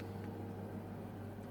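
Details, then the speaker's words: Baxi 105E boiler with a no-hot-water complaint, heating mode selected: steady fan hum, ignition, then a low even burner roar with no pops or rumble; burners fire normally on heating. "The first thing I'm going to do is turn the heating on. You can hear the fan running, ignition, and the burners come on."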